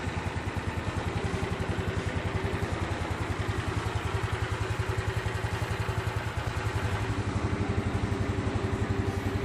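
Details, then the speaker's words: Yamaha Mio Sporty after CVT maintenance, started before the body panels go back on: starts easily and gives a steady, even single-cylinder idle with no knocks. "[ oke ] [ sepertinya sudah tidak ada lagi masalah ] [ motor bisa ON dengan mudah ] [ dan bisa statisioner dengan lama ]"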